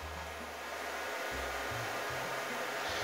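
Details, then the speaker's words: Ozito gas/gasless MIG welder being upgraded to a Euro connector: low mains hum switching on and off in short bursts over a steady hiss as the gas solenoid, wired through a 12 V relay, buzzes and hums; owner attributes it to overcurrent. "but as soon as i hooked my gas solenoid up here it started buzzing and humming and freaking out"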